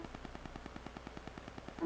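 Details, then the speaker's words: Failing 750 GB SATA hard drive in a docking station clicks dryly about six or seven times a second as soon as it is installed, no spin-up recovery; heads clicking on a bad drive. "You hear that? That is the SATA drive, the 750 gigabyte."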